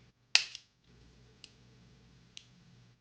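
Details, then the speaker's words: New Taurus 66 Combat .357 Magnum revolver, cycled by hand to show correct timing. Three crisp, separate clicks as each chamber snaps cleanly into its notch. Normal cylinder lockup; one other chamber is starting to go out of time. "You can hear what it's actually supposed to sound like when it's cycling. Notch."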